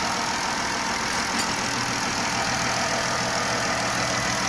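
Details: Chrysler 3.6 Pentastar V6 van after replacing the camshaft (used) because a failed rocker arm caused ticking on the rear bank (bank 1): even, steady idle with a smooth hum and no tapping from the valve cover; healthy.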